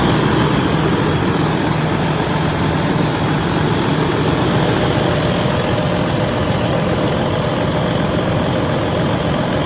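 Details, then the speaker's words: Detroit DD15 diesel at a raised 900 rpm idle on cruise control after replacing all six injectors (cylinder 2's was cracked, pushing compression into the return line and aerating fuel): steady low rumble, pinging/chirping gone. "as you guys can see the noise went away there's no more pinging noise"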